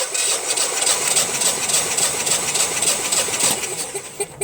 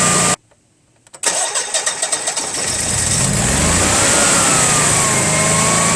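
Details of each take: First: Honeywell/Generac generator model 60341, intermittent overcrank no-start, gas shut off during compression test (about 200): even but laboured slow cranking pulses around 3.5 per second; battery suspected weak, not confirmed. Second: Honeywell/Generac generator model 60341 with intermittent overcrank lockout, incoming gas pressure 8: brief crank, catches cleanly and settles into steady even idle, no misfire or hunting; regulator and gas meter judged working, quiet test mode suspected.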